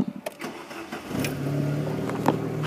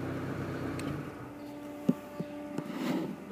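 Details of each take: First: Chevy C1 TBI truck during no-start diagnosis, checking fuse 4 (fuel pump) and the computer fuse; a short crank catches within about a second and settles into a smooth, steady idle. Normal start and idle. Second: Chevy C1 TBI idling during no-start diagnosis; the blue fuse 4 feeding the fuel pump is pulled, and the quiet engine hum drops out midway with a few relay clicks. Stall from fuel pump fuse removed.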